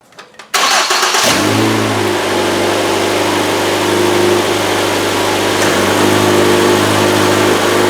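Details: 2012 Ford Escape 2.5L after replacing the belt tensioner and idler pulleys: the engine catches and settles into a steady, even idle with no squeal or chirp from the belt.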